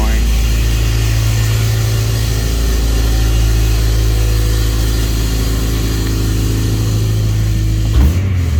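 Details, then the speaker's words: 2007 Honda Civic Si with K20/K24 swap, Hondata base tune, Skunk2 header, Full Race exhaust, fully warmed up: smooth steady even idle, no knocks. "there it goes all right there it is all warmed up calm down idling beautifully"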